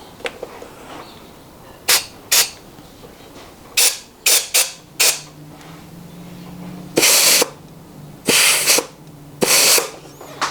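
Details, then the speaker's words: 4L60E transmission during rebuild: a compressed-air check of the clutch piston after installing and forming the new Teflon seals gives short sharp bursts with a firm apply and no leak hiss between them. The seals are holding. "Okay. See that? Sounds real good."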